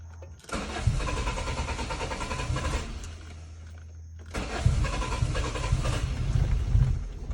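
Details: 1997 Toyota Corolla cold start: long, uneven cranking, a pause, then another extended crank before it catches. Hard starting; the engine is slow to fire when cold.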